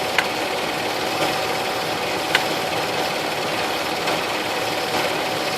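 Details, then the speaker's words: 2004 Nissan Frontier V6, listening through a metal tool on a spark plug wire while balancing cylinders; smooth, even rhythm with no stumble or misfire; this cylinder firing normally, while others sounded slightly missy and plugs or wires suspect. "sounds really good sounds great"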